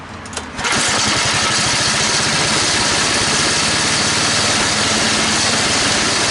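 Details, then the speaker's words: Toro 824 snowblower after carburetor replacement (was stalling, hard to start, wouldn't stay running): after priming, brief cranking then it catches into a steady, even buzzing run; runs in all gears with the auger engaged without stalling; normal running. "Well, she fired up. She stayed running. I was able to put her in all the gears and run the augur without it stalling out like it used to."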